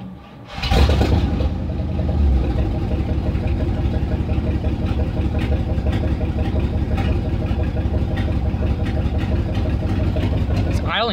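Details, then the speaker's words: 360 5.9 V8 cranks and settles into a steady even idle with no hiss after fixing vacuum leaks at the PCV valve and return hose; it had idled rough and high before. "okay happy with it idols way better no more vacuum leaks"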